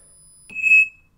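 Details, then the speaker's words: Cheap FOCer 2 VESC-based ESC running setup wizard motor detection on a medium outrunner (2.2 Ah battery setting): single high, clear half-second beep from the windings as the motor rotates; normal calibration tone. "We can hear the calibration routine. You can see it rotate."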